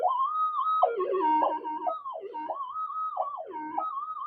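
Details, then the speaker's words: Minelab GPZ-7000 metal detector with modified electronics, run indoors at sensitivity 17: constant loud warbling tone swooping irregularly, never settling to quiet threshold; mains electrical interference makes work impossible. "so it'd be impossible to try and do anything with that amount of noise"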